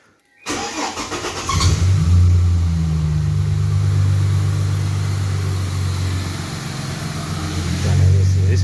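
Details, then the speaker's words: AU Ford Falcon just fitted with extractors and high-flow catalytic converter, fresh engine, gearbox and diff oil: cold start cranks briefly, catches cleanly and settles to a firm, even idle with low steady exhaust hum, no leaks, less droning than before. "sounds better than it used to. Not so fucking drony. Ooh, some freshness coming through there."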